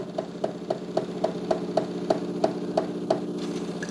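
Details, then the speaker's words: De'Longhi TrueBrew CAM51025MB coffee maker brewing a bold espresso: steady pulsing tick about three per second with squeaky note as pressure builds before water brews through; normal operation. "but what you hear with the espresso you hear kind of a pressure build up it's hard to explain but it's definitely building up some pressure and then Brewing the water through it"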